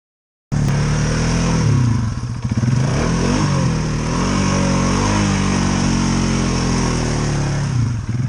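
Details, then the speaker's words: Stock Polaris Sportsman 570 on 31-inch Outlaw tires, running in deep water without snorkels: the engine labours deep under load, with revs flaring briefly without matching pull, as the CVT belt starts to slip. "You could hear the belt start to slip there for a second."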